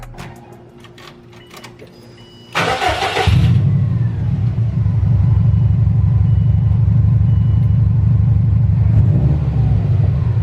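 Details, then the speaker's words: Subaru WRX after an exhaust leak at the catalytic converter joint was fixed with a new donut gasket: starter whirr, then a firm, even low idle burble; the earlier flutter is gone and the exhaust sounds sealed. "and there we go guys no more little flutter sound from the exhaust league you sounded super good"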